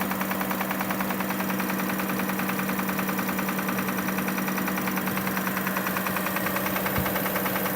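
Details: 2005 Kia Sorento at steady idle with a crisp, regular knock of about 200 per minute from inside the engine; the source is not yet diagnosed and the cause is unconfirmed.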